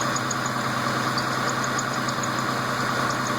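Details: Newly built engine, all parts new, steady idle: quick repeating high chirp about twice a second, tied to engine speed, from inner accessory belt; owner unsure whether bad tensioner bearing or belt.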